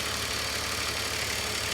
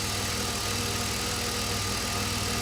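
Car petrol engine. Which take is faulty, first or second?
first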